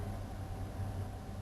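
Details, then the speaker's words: 2002 Dodge Ram 5.9 V8 (98–99k miles) with a low, uneven, loping idle that stumbles instead of humming steadily. Cylinder 6 misfire code P0306 persists despite new plugs, wires, cap, rotor and a fuel injector; the owner suspects bad gas. "he that har was going po po puff puff yeah she's a misfire no clue tried everything in the book still runs like crap"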